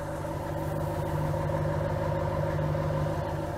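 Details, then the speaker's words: 2010 Ram Hemi with code P0305, owner suspects a faulty fuel injector; at idle it runs smooth and even, with the light clicking coming from the injectors; a rough run and misfire code only appear above 2000 rpm. "or let you hear the engine sounds really nice and smooth right any clicking you here is just the injectors"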